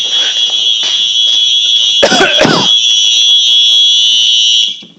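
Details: Smoke alarm test, heard outdoors after fixing a faulty wire; loud, piercing, high-pitched tone holds steady about five seconds then cuts off, alarm sounding properly.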